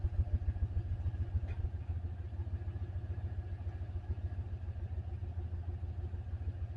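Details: Turbo LS 5.3L LC9 V8 in shop truck with new ECM and tune, after engine failure with suspected piston damage in cylinder 7: fires right up, lumpy uneven idle with about three pulses per second, one cylinder skipping.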